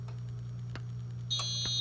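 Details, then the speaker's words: Gentex Commander 2 horn strobe, 24 V, set to mechanical horn with constant panel output, on silence with misset DIP switches: low mains-like hum then thin high whine as the speaker buzzes and the panel shows trouble on NAC 1. "And if I hit silence, so you'll hear a whine start to come from the device. It will begin to buzz."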